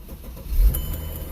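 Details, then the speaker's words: 2009 Mercedes E350 with intermittent no-crank/no-start and stalling when warm, after ECU work, battery reconnected with jump box: short crank, catches cleanly, settles to smooth low idle; normal crank and start. "Okay, she started. That's good. We're going to have to let it run to see if it's still doing the uh the idle issue where it would stall after it warms up."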